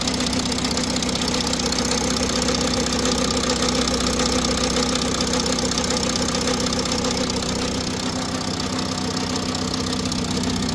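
Steady diesel idle with a light, fast ticking riding on top at a constant rate; an odd engine noise, source unclear.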